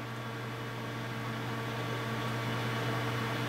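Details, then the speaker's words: Corsair H70 CPU water cooler with dual Corsair fans in push-pull on a 120 mm radiator at maximum RPM, heard up close then from a distance: steady hum with fixed tones, a loud horrible fan whine. "All I can hear is the whine of the fans. It really does sound horrible, and it's not the sort of noise I'd want to hear coming out of my system."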